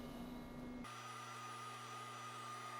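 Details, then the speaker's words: DMM AC servo motors homing the axes of a DIY CNC mill under LinuxCNC: after a brief rush, a steady clean whine at an even pitch with no grinding or knocking. Everything operating as it should; normal homing. "That was a simple test, and more problems could arise down the line, but it looks like everything's operating as it should."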